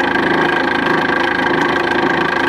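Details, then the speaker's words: Nipkow disc mechanical televisor on power-up: steady motor hum with a fast, even rattle; wonky off-center pulley cog rocks the spindle and belt, making it noisy; owner may replace the cog. "Although, as mentioned, the pulley cog is a bit wonky, and it causes the spindle to rock a bit and makes it quite noisy, which is undesirable."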